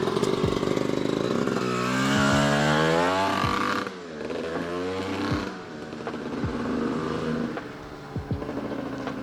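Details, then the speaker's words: Honda CR250R two-stroke, first start after years of sitting with a fresh top and bottom end rebuild, on premix: revs up in blips, then sags and stumbles as throttle closes, never idling; owner suspects the carburetor idle adjustment. "all right guys she runs and it's [ __ ] nutty i can feel the power band but it's not fully hitting because uh something with the carburetor like the idle adjustment i'm not the mess with it and um yeah because it doesn't stay idling"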